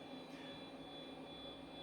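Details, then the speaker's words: Acorn A5000 computer running: a steady, loud whirring hum with a thin high tone on top from a noisy cooling fan due for replacement. "replace the fan because, as you can probably hear, it's quite noisy."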